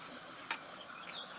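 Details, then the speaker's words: BSA A65 converted to 750, twistgrip worked fully open and shut: two sharp metallic clicks as throttle slides snap shut but no top-out click at full throttle, poor cable adjustment stopping slides short, causing lack of power. "now we can hear the throttle slides clicking shut when i shut the throttle but there's no click to tell us that the throttle slides are topping out or hitting the tops of the carburetors when the throttle's open fully"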